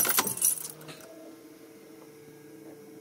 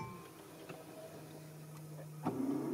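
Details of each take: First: 2006 Mercedes C200 with 441,870 km, after replacing the original starter that had made a strange noise: after a pause the starter spins briefly and the engine catches at once into a steady idle. Starter works normally. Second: 2006 Mercedes C200, original starter at 441,870 km: solenoid click, then starter spinning freely with a thin rising whir and no crank; starter drive not engaging the flywheel, starter replaced.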